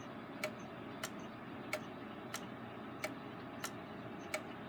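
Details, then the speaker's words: Gilbert long-drop octagon pendulum clock after rebuild, springs not fully wound: soft ticks about every two-thirds of a second, gaps alternating slightly long and short, phasing in and out of beat; escape wheel suspected slightly out of round, considered minor. "phasing would be where it wanders in and out of beat I do think it's phasing just a little bit"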